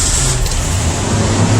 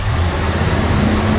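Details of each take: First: Ford after EGR fix for code 332, first start: steady engine drone holding raised speed, high idle; unplugging idle air controller lowers it, owner suspects old throttle position sensor. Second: Ford engine at startup after fixing an EGR vacuum leak (code 332): catches and settles into a steady, even run with no stumble; owner suspects throttle position sensor for remaining issues.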